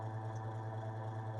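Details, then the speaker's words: Homemade heater run on low heat setting: low steady hum with a faint rubbing flutter from the spinning fan, which previously stopped spinning; always made this noise, fan judged not quite lined up properly. "That's obviously the the fan's just not quite lined properly."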